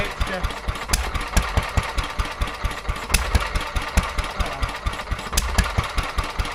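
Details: Petter A11 (A1 series 2) single-cylinder vintage stationary engine, owned 12-13 years, sat damp in a container for four years; slow, irregular thumps with uneven gaps and missed beats, misfiring; rough running, owner suspects fuel starvation from dirt in the carburettor.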